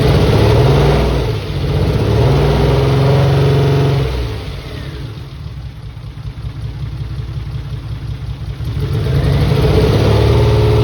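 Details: Mitsubishi 3000GT VR4 with replacement engine, first start on old sat-unused injectors: engine drops from a rev to a lumpy idle and climbs again, slightly uneven beat; one or two cylinders probably misfiring, owner suspects injectors.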